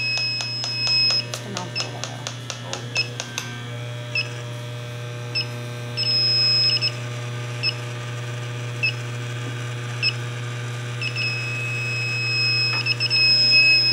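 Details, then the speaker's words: Evaporator coil with small rub-out leak, pressurized about 50 psi with 410A: fast ticking then repeated high double beeps over hum as Testo 316-3 detector alarms; H10 detector weak, only reacting to calibrated reference — small refrigerant leak detected. "so that's pretty pretty convincing yeah this h10 is not doing great and it is actually picking up with the calibrate reference so that's a indication there"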